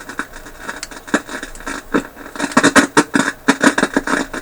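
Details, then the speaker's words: Philips 922 vacuum tube radio after work on the controls: irregular crackling bursts and static pops over weak program sound; noise judged not from the controls, band switch suspected. Noisy reception with crackling static, cause unconfirmed. "it seems to be cleaning up P's full it's really pretty noisy isn't it"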